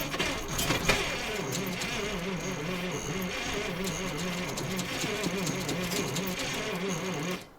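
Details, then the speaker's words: ZIL crane truck petrol engine after 20 years standing, petrol poured into carburetor as accelerator pump seemingly doesn't work; slow laboured uneven cranking with occasional weak firing. Weak cranking; starter turns it poorly. "Но плохо крутит у нас. Плохо крутит стартер. Как ни крути, блин."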